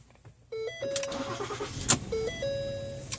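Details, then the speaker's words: 2013 Ford Flex, crank no start with no fuel pump sound, after replacing fuel pump module: brief crank, prompt catch, steady idle with chime, window partly down; normal start, new module fixed it. "all right this time I'm going to roll the window down a little so you can hear it start"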